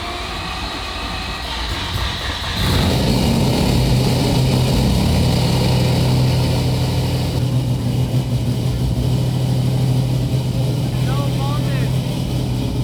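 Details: Mazda RX-7 FD with 26B four-rotor engine, after no fuel pressure was found: quiet, then catches with a sudden loud bark and settles into a loud raspy steady rotary idle.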